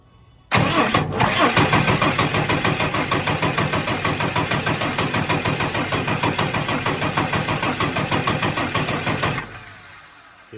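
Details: Tucker Sno-Cat with a 5.9 Cummins 12-valve diesel, stalled at season's end and sat over a month; it would start and die, now only cranks. Steady starter churn about three compression beats a second for nine seconds, no catch. Plugged fuel pickup screen suspected.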